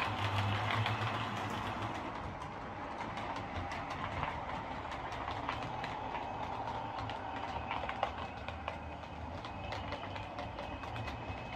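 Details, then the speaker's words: Lima Eurosprinter model locomotive, previously screeching, running on the layout: steady growly hum from its big motor with light even track clicks at constant pace; smooth and healthy. "It's got that great big motor in it, and it makes quite a nice growly humming noise as well."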